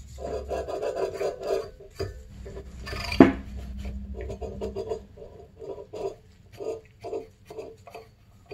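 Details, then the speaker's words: Rear wheel bearing from a 2006 Honda CRF250R dirt bike, spun by hand on the axle: gritty, scratchy rasp that swells and fades with each turn; the bearing sounds dry and rough, and the rear bearings were found to be shot. "sounds dry Zach it is oh my gosh guys you could hear it"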